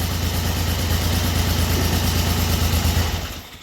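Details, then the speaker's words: 1974 Triumph Trident after fixing a failed-coil misfire, started indoors in cold weather. An even, steady low engine note with no stumbles or cutouts before it shuts down: normal running. "Running beautifully. Yeah, it is. It's running beautiful. I don't hear the cutting out or none of that."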